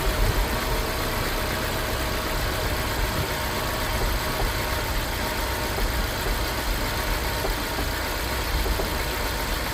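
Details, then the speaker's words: 2007 Mini Cooper S from ice-cold start, running rough, nearly cutting out on throttle: uneven idle with popping and missing beats; cause not yet identified. Misfire at idle. "Definitely popping and missing."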